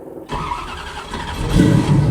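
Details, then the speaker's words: 1967 Chevy Camaro carbureted V8 cold start, throttle pumped twice and feathered while cranking; engine cranks, slowly catches and builds with a little throttle, normal cold start for a carbureted engine. "You gotta learn how to feather the throttle and play with it to get it running. Sorry. It ain't like these newfangled fuel-injected cars."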